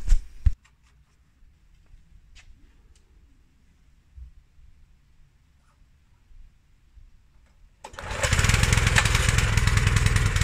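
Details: Honda GX160 engine on a 1998 Honda F560 single-axle tractor after carburetor replacement; previously ran rough at low rpm and died off choke, suspected dirty carburetor. After the long quiet stretch it starts and settles to a steady, even beat: normal running.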